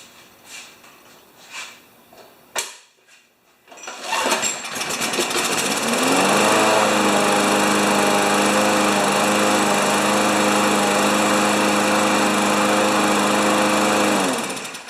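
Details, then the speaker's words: Poulan Pro lawn mower with a Briggs & Stratton Classic 190 cc engine, run after tightening the single-spring governor arm at the carburetor; it catches, climbs within two seconds to a steady, even buzz and holds it, running much better. "okay that sounds a lot better so problem number one it starts and goes"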